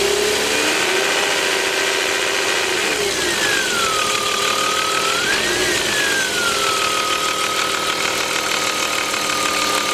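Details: BMW 325is: high steady whine over idle that rises and falls with revs, ultimately caused by two faulty remanufactured alternators.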